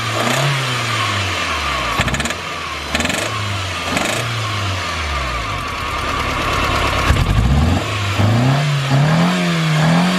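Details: Stock Toyota Starlet, number 3 injector plug off: lumpy, uneven idle that stumbles, then climbs unsteadily when revved; low compression from a head gasket.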